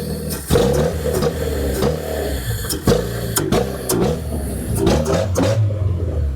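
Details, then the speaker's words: Fiat Panda that failed its MOT, exhaust basically a resonator then straight pipe; revved, deep raspy very loud blasts rising and falling with each blip, "proper throaty, sounds rough": loud exhaust from missing silencer. "proper throaty, that is. That sounds rough."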